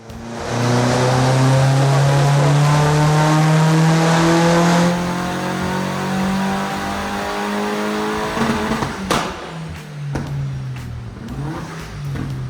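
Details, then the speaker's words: VW Fox with modified 1.8T GTI engine, new turbo and remap, dyno power run four at full load after boost raised from about 1.1 bar: engine climbs smoothly to the top of the revs then drops off cleanly, no misfire; 284 hp, 348 Nm; normal. "talk to me up a little bit 284 it's a little bit more but there's more to go definitely 284 348 uh newon me torque that's decent that's really good"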